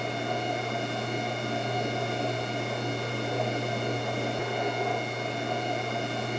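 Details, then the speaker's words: Whirlpool washer on spin cycle: steady, even whine with a gritty scraping hiss; drain pump impeller suspected of scraping, from something stuck in the pump or a worn impeller rubbing the pump front wall. "your washer makes a whining or scraping noise like this when it's on the spinning cycle,"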